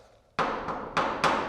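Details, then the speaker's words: Garage door after hinge pins were wrapped in heat shrink to stop metal-on-metal contact: soft dull thumps instead of metallic pings as the door moves; quieted hinge. "it's a totally different sound. It kind of thuds it out and dulls it out and makes more of a thud than a ping, and that quiets the whole system down."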